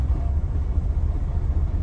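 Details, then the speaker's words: Diesel truck with fault code SPN 1328 FMI 31 at regular idle: deep idle with an uneven, stumbling misfire that smooths with revs; low compression in cylinders 4–6 from bad valve lash, not a bad injector. "truck is idling really bad definitely feels like a misfire now this is again at regular idle"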